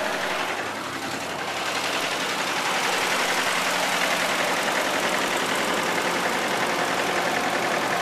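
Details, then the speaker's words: 2000 Isuzu Trooper 3.5L V6, 140,000 miles, at idle: a loud, steady knock of about three to four beats a second. Oil was overfilled by half a quart, and an oil leak from the upper front of the engine began with the knock. No oil pressure or check engine lights. "so I'm going to start it up right now so you guys can hear the noise that it's making well that wasn't good"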